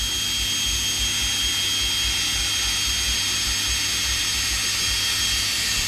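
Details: Electrolux EWF771 7 kg front-loader washing machine after repair for motor not turning (no wash or spin), running spin mode: smooth steady high-speed spin, even hum, no rumble or grinding; drum bearings still good, motor healthy.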